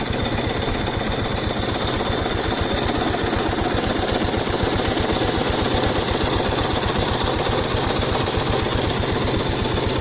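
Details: 1996 Yamaha SR 125 single-cylinder engine (10F code) idling before engine swap: hard, rapid metallic knock on every firing stroke; the engine was replaced with a 1999 one with 10,800 km.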